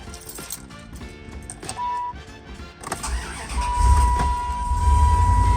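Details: Dodge Ram, first start after DIY ignition switch repair/replacement, battery reconnected: brief crank, then catches and settles into steady low idle under a chime tone and music; clean normal engine start.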